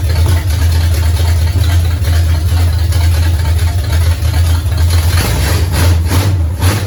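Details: 1969 Pontiac GTO barn find with Grand Prix V8, TH400 and Quick Fuel 750cfm carb, after 17 years sitting; deep steady even idle, no knocks or misses, alternator charging 14 volts, fluid apparently smoking off headers, minor valve-cover blow-by. Normal running.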